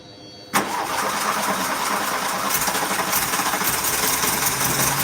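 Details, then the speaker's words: Car that previously wouldn't start (weak spark) cranks and catches within a second, then settles into uneven idle with a loud hiss; rough running, owner suspects a large air leak and plans a smoke test. "I'm not sure how well it picks up over the camera, but when that's running, it sounds genuinely that sounds like it's got an air leak somewhere."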